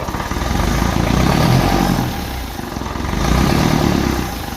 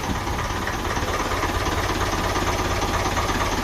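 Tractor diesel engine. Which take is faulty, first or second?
first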